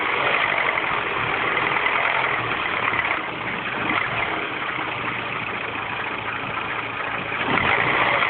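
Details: R56 Mini Cooper S cold morning start after timing chain tensioner change: busy, uneven rattly chatter over the petrol idle; abnormal cold-start engine noise, cause unclear.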